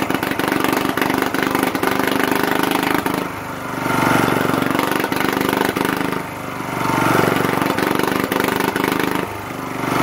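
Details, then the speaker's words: 1980s Lister Petter AC1 single-cylinder diesel generator, 4 kVA at 3000 rpm, after startup: steady running, speed rising and falling gently every few seconds as the governor self-stabilizes; sounds healthy. "when it does start you won't be able to hear anything other than the engine because it's pretty loud but it should go through a sort of self-stabilization test where the revs fluctuate up and down and then it will stabilize"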